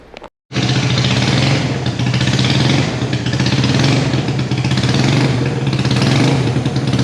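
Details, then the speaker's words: Salvage motorcycle twin, first start after revival work, fuel leaking: brief crank then catches and settles into a steady, even twin-cylinder run with firm, throaty exhaust note and no misses; normal running. "we just got my bike going um I can see the fuel's leaking right now so oh my God I love it it's awes a oh my God T it lives it sounds meaty as hell she's throaty dude"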